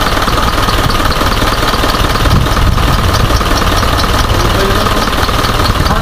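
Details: Isuzu 4HJ1 diesel with low power and hard starting: loud idle with an uneven, lumpy knock near four beats a second that never settles; rough idle, likely misfiring.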